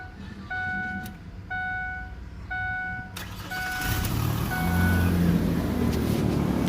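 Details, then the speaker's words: 2003 Ford Explorer 4.0 V6, first start after spark plug replacement: chime stops, starter catches and engine settles into a steady, even idle with no misfire or stumble; sounds healthy. "It sounds good. Fire right up, guys."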